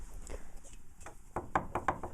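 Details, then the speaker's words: Pallet saw Babbitt bearing, still noisy after reassembly: sharp, evenly spaced knocks about six a second. The owner suspects shaft end play, meaning the collar needs tightening (suspected, not confirmed). "I think it's n play that's the sound I think right there which means that that collar needs to be brought up tighter that in plate should not be there"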